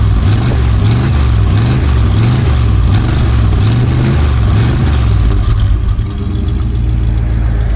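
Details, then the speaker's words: 1965 Dodge A100 van, V8 sat for years, now on fresh fuel, smoking a bit: steady, even low burble with a smooth regular beat, no knocks or stumbles; normal idle. "Think she's running off of that new fuel. Sounds pretty good."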